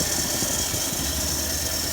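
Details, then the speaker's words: Ford F-100 carbureted V8, warmed up, after carburetor idle-mixture screws were adjusted about an eighth turn with the air cleaner off: low, even, smooth idle rumble under some hiss, no stumbling or misfire, much smoother than before. "should be idling okay I know it's definitely working better than it was it's a lot smoother than it was"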